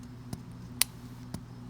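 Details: Mercedes-Benz B200 Turbo with cold-start engine rattle; removed timing chain tensioner pushed by hand gives four sharp uneven clicks as its plunger sticks instead of moving smoothly, tensioner being replaced.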